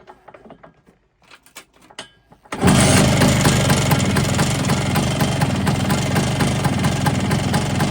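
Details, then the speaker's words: Polini 177 kit on a two-stroke Vespa scooter, run briefly after seizing and being bump started: catches after a couple of seconds, then a steady ticking rattle about four times a second over the idle. Top end rattle; cush drive springs suspected but it sounds in the cylinder. "Unfortunately, something just doesn't sound right."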